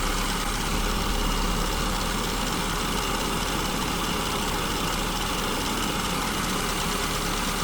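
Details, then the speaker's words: SU-carbureted engine with the idle mixture deliberately set far too rich: strong, steady fast idle near 1100 rpm on the tachometer with a stable vacuum gauge and no stumble; sounds healthy but is overly rich. "So I've gone ahead and made it way too rich, and you'll notice how stable the vacuum line is."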